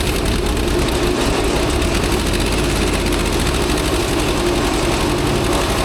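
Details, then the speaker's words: Old Asplundh JEX Chuck n Duck wood chipper, long abandoned, with water found in the bearing grease: a loud, dense rattling roar that doesn't let up. Owner suspects bearing trouble, not confirmed. "You hear all that noise? Wow. I just can't feel comfortable that these bearings are okay with that much noise."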